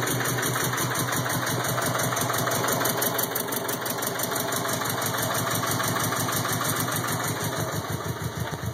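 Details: 2002 Subaru WRX idling: the idle pulses unevenly at about three beats a second, lumpy and shaky rather than smooth; a rough idle, cause not evident.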